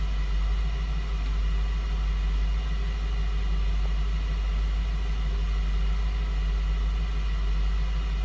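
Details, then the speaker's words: 2004 Lincoln Navigator 5.4 running rough with no check engine light, spark plugs already replaced: deep idle with an uneven lope about once a second; a slight cylinder misfire, with cylinders to be eliminated one at a time to find it. "now we're gonna go out here and we see a slight misfire"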